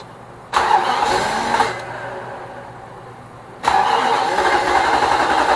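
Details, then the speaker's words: 2006 Nissan Armada 5.6 V8, first cold start after an engine swap: the starter spins in two bursts and the engine briefly catches but never runs on its own. Fuel and sensors are connected; a failed crankshaft position sensor is suspected for the no-start. "Houston, we have a problem. It won't start."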